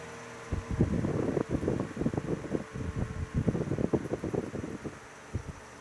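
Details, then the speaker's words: Old Westinghouse fan on low speed after a rebuild, bearings oiled but without oil ports: uneven, rough scraping in irregular bursts over a soft whir, with poor spin-down time; dry bearing scraping. "you can hear it scraping this thing doesn't have the best spin down time"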